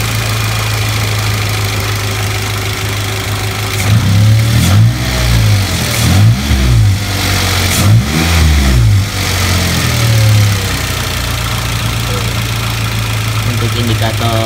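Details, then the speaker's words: Toyota Avanza/Daihatsu Xenia alternator before servicing: steady hum at idle rising into a turbo-like whine with each throttle blip; humming alternator, possibly worn brushes, with voltage dropping from about 13 to 12 V. "Nah kita coba dengarin nih Suara dengungannya kita [Musik] gas suara dengungannya kayak gitu"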